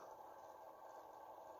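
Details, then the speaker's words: Small gear motor running at 5 volts in a 3D-printed automatic camera arm: a steady, quiet midrange whirring hum, considered too noisy; foam padding around the motor is being considered. "likely going to have to put some kind of foam padding or something around the motor maybe I don't know yet"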